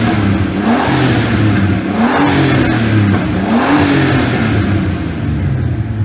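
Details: BMW E46 328i turbo build revving up and dropping back three times in smooth, even sweeps, no rattle or whistle, after turbo refit, shorter and steeper oil return, 1 L oil drained and breather removed to fix oil smoke; normal revving.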